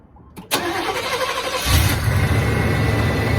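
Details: OBS truck after a new 195-degree thermostat was installed. A brief crank, a quick catch, then a steady, even idle with no roughness; it warmed to about 200 and settled near 180–190 with no leaks: normal.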